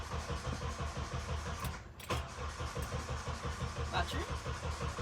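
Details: JDM Honda CR-V after sitting a year, fuel pressure being built by cycling the key; starter turns engine over in an even chugging rhythm, about two turns a second, but it never catches; a connection later found unhooked.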